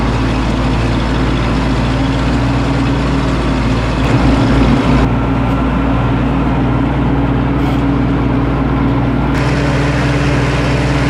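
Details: 1952 Ford 8N tractor after carburetor replacement, which cured its stalling at idle and under load: steady, low, even rumble with no stumbles or dying out.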